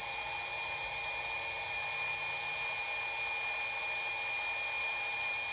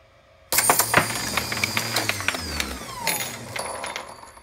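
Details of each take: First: AmpFlow A28-400-F48 fan-cooled 48 V motor, first bench test clamped down on two 8S lithium packs, about 53 V and 4.3 A, no load, estimated over 6,000 rpm: steady clean high-pitched whine; normal no-load running. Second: AmpFlow A28-400-F48 fan-cooled 48 V motor, first test on two 8S lithium packs at 54.1 V, clamped down: bangs into life with metallic clatter and pinging parts, then whine falls away; the attached torque limiter (clutch) unscrewed and came apart.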